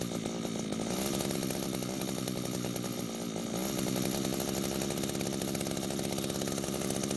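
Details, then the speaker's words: Older gray Echo string trimmer unused for a long time, line at correct length for load: high steady two-stroke buzz running on choke, which it shouldn't; carb not giving enough fuel, lean, L screw to be turned out. "so what started and ran on choke which you should not be able to do there should be more fuel than the engine should be able to run on that tells me the carb is not giving the engine enough fuel"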